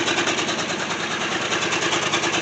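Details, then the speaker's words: 1966 Ford Thunderbird FE 390 V8, running for the first time in at least 13 years after points adjustment: steady, fast, even rhythm with no missing beats and no abnormal exhaust smoke; normal running. "i'm really amazed at how well this car is running"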